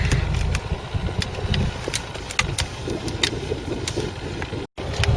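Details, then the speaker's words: Petrol engine idling, with a light, uneven ticking rattle that sounded like the dashboard but traced to the brake servo's one-way valve, whose small internal ball is shaking. "never told you i found out what that rattling is can you hear that rattling it is would you believe the one-way valve on the brake server little ball bearing in there or something is shaking enough but to get into the car sounds like it was a dashboard but it's not a little valve on the brake server"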